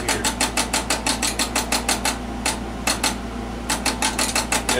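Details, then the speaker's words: HP 405CR digital Nixie-tube voltmeter after capacitor and resistor replacement, fed about 4 V DC: fast bursts of sharp clicks, about three a second, pausing then resuming. This is the stepper motor ranging as the meter samples. "Apparently, this is, that noise you're hearing is a stepper motor"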